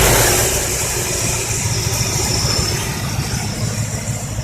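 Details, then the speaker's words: Chevrolet 305 High Output V8 with a heavy cam (owner thinks a 350 cam), choke off, warm idle after a roughly 2,000 rpm blip: deep, steady, even lope with no knocks or misses; well-tuned normal idle. "choke off I mean it's I've got it tuned pretty well and it sounded like I reved the hell out of it I really didn't that was like 2,000 RPM"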